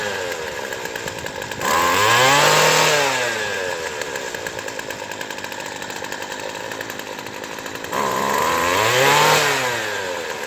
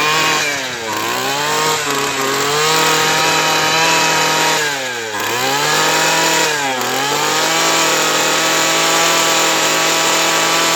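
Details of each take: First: Craftsman Sim-Pull two-stroke string trimmer with a replaced aftermarket carburettor after needle tuning: crisp clean rev-ups to full speed and back to steady idle, no bogging; normal running. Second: Craftsman Sim-Pull two-stroke string trimmer after carburetor replacement, primed and choked: revs cleanly and opens up well but sags almost to stalling when throttle drops; idle speed set too low.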